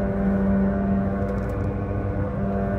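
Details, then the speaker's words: About 2008 Chevy Malibu road test at 100 km/h: steady low howl under road noise, quieter swerving left and louder swerving right, loading the driver-side front wheel bearing; worn front wheel bearing. "all right so i've got a uh chevy malibu here about a 2008 or so and hopefully the camera is picking up that uh noise we have going on we're going to isolate noise we're driving down the road at 100 kilometers per hour"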